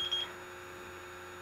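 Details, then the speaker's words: Refrigerant leak detector held away from the AC evaporator coil to zero before a leak search. A short high beep, then a quiet steady electronic tone holds as it settles. Baseline beeping, detector ready. "see the lights are going down it's getting in a steady state and what you want to wait for is for it to just do that that small beeping"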